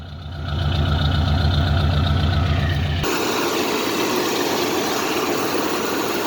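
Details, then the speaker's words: 1975 AMC Matador Brougham station wagon, 304 V8, just refuelled and started; engine catches and settles into a steady, even low rumble with no knocks or misses; normal idle. "Hear that 304 in all its crap glory. Nah, it sounds all right, but it's nothing to write home about."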